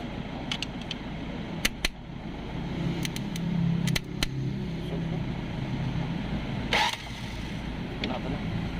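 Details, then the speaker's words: 2010 Ford Everest automatic, no crank no start, starter jumped directly at the motor side: light whirring spin with no engine turning; starter spins but does not engage the flywheel, solenoid needs to be energised; starter suspected faulty. "So yun umikot na yung starter natin kaso hindi pa yun naka-wheel so kailangan natin ah Paeng yung ating solenoid para kumapit sa ating flywheel"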